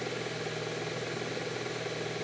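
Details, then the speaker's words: Saab just started in neutral; steady even idle with a very faint light repetitive tick heard by the owner; otherwise nothing heavy or irregular, sounds as it should. "It sounds like it should do, in all honesty. It doesn't sound bad at all."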